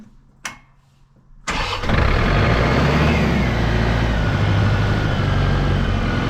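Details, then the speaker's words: John Deere 4600 compact tractor diesel with a long-standing crank-no-start, after replacing the thermistor behind the fuse box: short crank, fires at once and settles into a steady, even idle with no stumbling; normal start and idle. "Look at that. The tractor works. Maybe it was a thermister after all."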